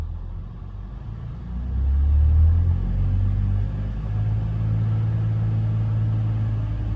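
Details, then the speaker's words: BMW X5 E53, M54 3.0i, after replacing cracked torque converter flexplate (a mounting bolt possibly loose had struck the flywheel): smooth low rumble held near 2000 rpm, no knock or rattle; noise eliminated. "Вот в районе 2.000 оборотов было, да? В общем, звука нет, что и требовалось, так сказать, доказать, устранить."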